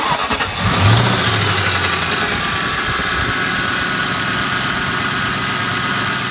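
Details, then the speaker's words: Engine starts and idles with a sharp, high serpentine belt chirp repeating about four times a second from a dry idler pulley bearing; fix is replacing the pulley after releasing the tensioner. "if your belt squeaking like this I'll show you what you can do okay"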